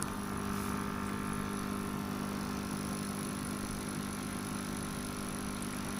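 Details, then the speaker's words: Sunsun CT-202 air pump noise test: steady, unbroken hum with a faint high whine, no rhythm or change; not a silent pump, the hum stays constant while running. "यह silent pump नहीं है अगर आप इसे लगाएंगे तो एक हम की आवाज आती रहेगी"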